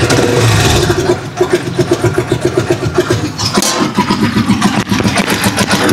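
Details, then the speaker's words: Rusi Chariot 175 single-cylinder on ordinary maintenance oil: slow, uneven thump of about four beats per second, sagging and stumbling, near stalling; idle too low, owner links it to the oil, unconfirmed. "Ito yung matay-matay siya, mababa yung motor."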